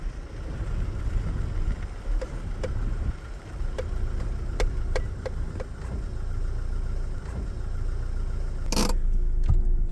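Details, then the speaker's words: BMW E30 on a slow test drive after the brakes were serviced with copper and silicone grease to cure loud squeal: low road rumble, light ticks, and brakes now apply quietly without squeal. "I mean, let's not celebrate too early, but that's a really good sign."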